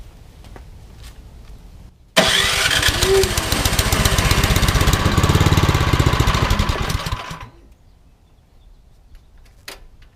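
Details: Troy-Bilt Storm 2410 snowblower with a newer Power More engine, which sat all summer with stale gas and would not start. After the carb work and idle screw adjustment it catches at once and runs steady and even for about five seconds, then shuts off.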